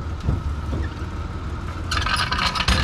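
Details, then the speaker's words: Junkyard Ford Bronco II petrol V6 at first start after fuel system work: soft, even, whisper-quiet idle with no knocking or smoke after a brief rod-knock-like sound, though the head gasket may be blown. "i mean i'm sure the head gasket gets blown that's got all sorts of other issues but whisper quiet no smoke"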